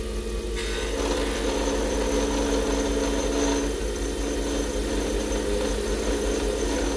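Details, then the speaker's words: Acrylic pen blank on a lathe, after chatter caused by feeding too quickly: a steady, even scraping hum with a consistent slow cut and no chatter or catching. The tool angle and feed are correct. "that's what i want to hear i want to hear it slow of course"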